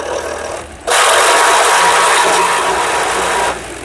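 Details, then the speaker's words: DIY electric skateboard with a home fan blade fitted as its propeller: a loud rush of air with a faint thin whine from the tensioned drive belt, which was silent with the previous blade. Owner suspects the heavier blade loads the belt. Belt whine under load. "now can you hear that noise you know what it is it's the belt now the belt is not liking this propeller considering that belt is under tension"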